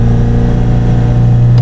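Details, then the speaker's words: Engine holds a steady high-rev drone with no foot on the throttle, having revved to about 4,000 rpm after a throttle touch. "but as soon as you touch the throttle it would rev right up to about 4 000 rpm and shut the key off"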